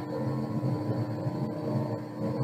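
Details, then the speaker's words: Electric motor after laptop communication was cut, entering Fail Over mode and slowing from 1500 to the 1000 RPM Fail Over setting, confirmed by tachometer; even, steady hum and constant whine, no knocks. Normal steady running at reduced speed. "And you can hear the motor slowing down if you remember the setting for Fail Over was a thousand RPM. So it should level off at a thousand and you can see the tachometer is indicating that."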